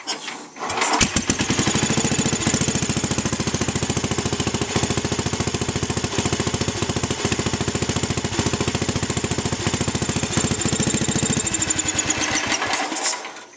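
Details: Sears Suburban tractor engine at half throttle on a homemade bubbler vaporizer carb with no gas tank: it catches and settles into a steady, even firing rhythm of about three or four beats a second, then winds down cleanly; normal running.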